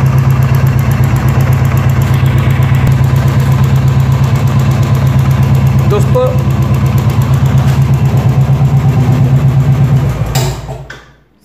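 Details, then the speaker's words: Royal Enfield BS4 EFI single-cylinder idling: a light, steady tick over the thumping idle, taken for tappet noise but actually from the charcoal canister purge valve, a problem only on BS4 models. "तो यह दरअसल टपट नॉज है ही नहीं यह नॉज आ रही है यहां से चारकोल कनिस्ट से"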